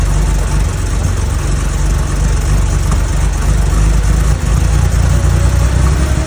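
Deep, lumpy idle with uneven low pulses that never settle into a steady beat; sounds like a vacuum leak upsetting the mixture.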